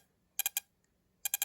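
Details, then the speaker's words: Mopar ignition distributor bench-tested with only a battery, basic wiring and a spark plug; turning it gives sharp crisp snapping clicks in bursts, a physically stronger spark than the other systems tested — normal ignition spark. "That's a weird sound. That's a physically stronger spark than any of the other items that I've tested today."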